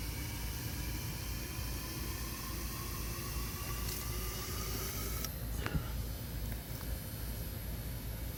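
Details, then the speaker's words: Bench flow test of the last of 4 fuel injectors at about 45 psi: steady spray hiss with a faint whine that cuts off cleanly. Others gave 66 cc per 10 seconds, this one 65. Rerun over a suspected air bubble. Normal, consistent flow. "Okay, I've tested all the other injectors for consistency, and they all seem to be doing 66 cc per 10 seconds."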